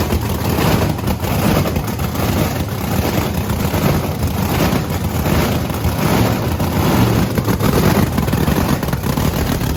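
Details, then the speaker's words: Supercharged V8 Camaro idling after being fixed: loud, deep, steady heavy rumble that sounds good and runs cleanly, though a possible slight misfire is suspected and plug freshness is questioned. "oh it still runs far right up sound sound really good it sounds good"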